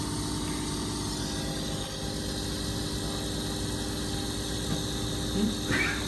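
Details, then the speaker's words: Pump with bypass valve set to 60 psi, run at 30 psi: steady pump drone with rough fluttering hum appearing as pressure climbs past about 35 to 40 psi, the bypass engagement noise. "it's making some bypass engagement noise already as you lower it to 50 and 30 so at 30 that's the same 30 psi"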